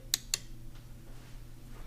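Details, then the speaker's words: Johnson Evinrude FasTrak power tilt/trim relays on a 150–250 HP outboard, unit not trimming up or down: two crisp clicks about a fifth of a second apart over a faint hum as up/down is pressed; relay clicking normally. "you should be able to hear it clicking press the down you should hear it click"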